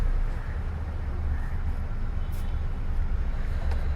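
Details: Hyundai brought in for tight steering with EPS warning, after repair with temporary fix, knock sensor circuit fault also found: low, steady, even idle rumble with no knocks or misses, RPM meter working, no error codes; normal idle.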